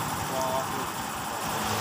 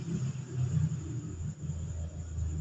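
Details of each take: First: Honda Vario 150 FI, owner complaint of a rough noise at the rear, CVT cover opened and the rear wheel turned: a coarse, gritty grinding rumble from the CVT rear pulley bearing; worn bearing. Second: Honda Vario 150 with a rough judder and clatter from the rear at take-off, caused by clutch shoes not engaging together: after the repair, a low engine rumble rises evenly as the scooter pulls away with no shudder; the clutch engages smoothly.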